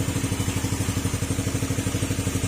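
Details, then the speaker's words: Old Yamaha Sporty single-cylinder scooter after an engine overhaul for a knocking engine, test-run with the airbox off: steady, even idle putter with no clatter or knocks. The remaining noise is only from a holed exhaust pipe. "Pim na yung makina niya mga sir butas lang yung ano yung tambutso niya kaya ganyan yung tunog"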